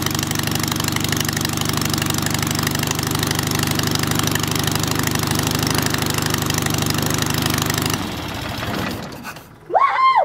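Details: Hummel Engines 45 hp half-VW aero engine, first start, electronic ignition: even, steady beat for about eight seconds, then dies when pulled to idle, owner thinks idle set a little low; otherwise runs smooth, normal.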